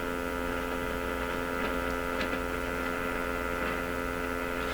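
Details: Stewart Warner R514 tube radio on the bench during IF sweep alignment: steady loud buzzing hum with a fixed low tone and bright overtones, unchanging, swamping the signal; cause not identified.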